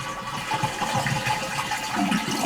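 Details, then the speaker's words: Toilet tank with the fill valve arm wired up so it stays off, before a flapper replacement: rushing water drains steadily on flush with no refill hiss following. "now when I flush the toilet up the valve does not kick on"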